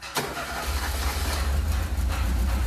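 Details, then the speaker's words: Ford SOHC 2.0 Pinto engine in a Sierra-based kit car with twin Weber 40 DCOE 151 carburettors, just fired up: lumpy, uneven low idle with a wavering beat, carbs deliberately out of balance before throttle-linkage and airflow-meter synchronising. "is often what what your engine will sound like when you first put a pair of four T's on it so whatever engine you got this doesn't sound too bad but it is out of balance we've done that on purpose"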